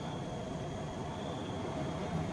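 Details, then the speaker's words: LG twin-tub washing machine whose spin-dry tub would not spin, traced to a faulty lid limit switch. With the switch bypassed for the test, the spin motor gives a quiet, even hum with a faint high tone and no grinding: the spin motor itself is normal. "เสียงลานทางปกติครับมอเตอร์ก็ทำงานตามปกติแล้วครับมอเตอร์ไม่ได้เสียนะครับ"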